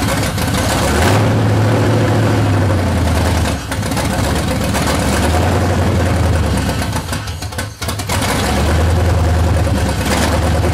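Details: C30 383 stroker V8 after fitting a high-torque racing starter: engine hunts up and down, dipping near stalling then catching with blips; it still can't hold idle on its own, rough idle.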